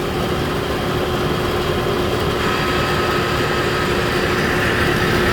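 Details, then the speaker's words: Air conditioner running: constant rough gritty grinding under a faint steady tone; grinding noise, cause unknown, servicing recommended. "However, you can hear it makes a grinding noise. So I'd recommend to have it serviced."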